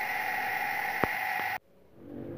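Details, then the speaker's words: Shimizu household water pump running: loud steady rough whine and hiss, then cuts off; motor bearing found badly worn and destroyed on disassembly. "Ya, bisa kalian dengar ya suaranya bisik banget. Ini mesinnya mesin Shimizu ya. Ini kalau berisik ini kemungkinan besar bearingnya ya yang rusak ya."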